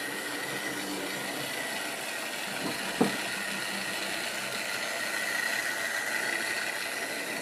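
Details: Wrenn West Country class model loco Lyme Regis, not run since the 80s, after joints greased and reassembly: faint, even motor whir and light hum with one brief click, no grinding; runs healthy.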